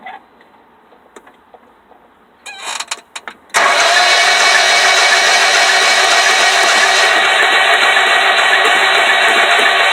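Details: 2001 Honda Civic: a few clicks, then steady fast cranking for over six seconds that never catches and runs; cranks but won't start.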